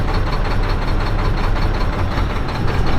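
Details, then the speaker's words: Mack diesel truck idling rough after banjo washers and injector work: heavy uneven rumble with irregular knocks, possibly a misfiring cylinder; owner suspects air in the fuel line at the fuel pump, will re-prime, unconfirmed. "we can try to prime it one more time it's like if you get an air bubble right there at the fuel pump it could cause that problem"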